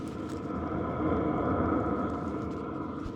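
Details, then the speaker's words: Vevor Chinese diesel heater running with stock muffler, microphone about a foot from fuel pump: soft even low exhaust rumble with faint hum, no knocking; not obnoxious compared to blower noise. "it's kind of a low Rumble it's not obnoxious and considering the sound of the blower I don't really think that that's a big deal"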